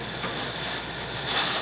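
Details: Chauvet Hurricane Haze 2D smoke machine after repair: a steady, even hiss with a slight surge near the end as output flows freely. Normal haze output.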